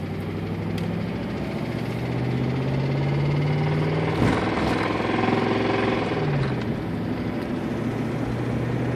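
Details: 1999 Ford Crown Victoria Police Interceptor V8: a rhythmic tap of roughly three to four per second over a rough idle; it is harsh at start and worst at high rpm, began after a catalytic converter check engine light, and oil was low; cause unknown, oil change planned.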